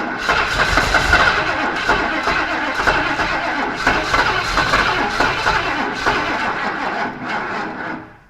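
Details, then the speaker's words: 1977 Ford F250 4x4 barn find, test run on old carburetor: uneven slow cranking, about four pulses a second, sagging and fading without catching; battery suspected nearly dead, possibly timing; slow cranking, no start. "okay sounds like the battery is about done what I thought unless it's a timing"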